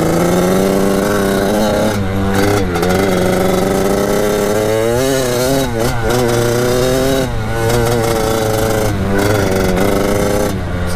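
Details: Kawasaki KX80 two-stroke with KX100 99cc big-bore cylinder, warming up after new head gasket and shaved head to fix coolant leak; crisp, even idle burble, pitch wavering slightly as it warms, no knocking or rattle, healthy.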